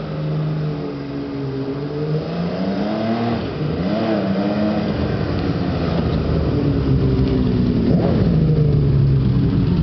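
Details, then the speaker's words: V12 motorcycle engine revving up and down with a fast light ticking, about three to four clicks per second, plus a clutch-like sound; suspected exhaust leak, unconfirmed; exhaust paint burning off. "I hear two sounds. Yep. Like a clutch sound and then a click, click, click, click, click, click, click,"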